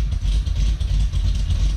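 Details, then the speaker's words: Cadillac CTS-V V8 with a big cam: a deep, choppy idle with an uneven loping pulse several times a second, steady and without knocks. Normal, healthy big-cam idle. "have you guys listen to that man this thing sounds good"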